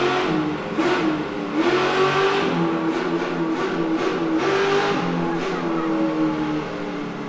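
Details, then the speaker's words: Chevy LS3 427 V8 with 8-to-1 headers in Ultra4 car on dyno: crisp even wail climbing and holding at full throttle, no knocks or misses; healthy, strong-running. "It's the 8-to-1 headers and that engine, and it just sings."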